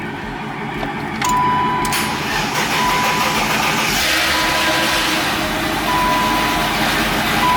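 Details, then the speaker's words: 1991 BMW E30 after replacing the fuel pressure regulator and intake induction hose, jump-started after two weeks sitting with a dead battery: fast, even cold-start idle, no misses or knocks, check engine light gone; high idle expected to drop once warm. "the car is running after two weeks it's running a lot smoother so once it warms up it should die down in terms of the RPMs"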